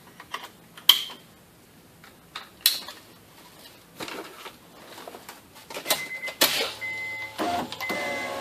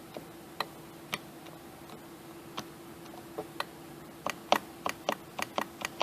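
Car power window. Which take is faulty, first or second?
second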